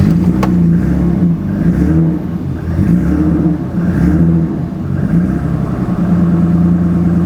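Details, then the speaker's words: 1984 BMW 5 Series E28 with M30 engine, sitting 5 years, running only on starter fluid: catches and runs roughly, rising and sagging, sputtering and won't idle; attributed to lack of consistent fuel pressure. "But unfortunately, no matter what we did, all it would do was splutter on starter fluid. It wouldn't actually idle."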